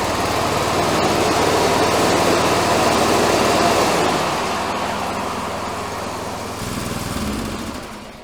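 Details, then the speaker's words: 1984 Workhorse GT100 with stock 212 Predator swap, deck engaged after freeing stuck deck pulleys; single-cylinder under load with deck spinning, busy clattery drone easing toward the end; noisy but working normally. "I mean, it is noisy, but it's working."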